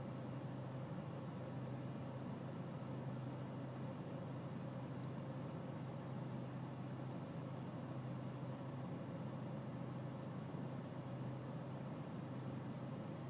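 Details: BMW E46 320cd diesel at low engine and outside temperature: steady, low idle drone with a faintly uneven beat underneath; a rough cold idle.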